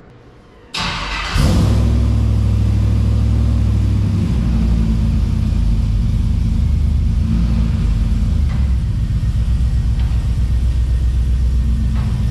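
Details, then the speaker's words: NBS GMC Sierra V8 after fitting a Speed Engineering 3-inch single catback exhaust, heard outside the truck before a drive; fires up and settles into a deep, steady throaty burble with even pulses, no ticks or knocks, definitely louder: healthy. "let's listen to it out here before we go it's definitely louder"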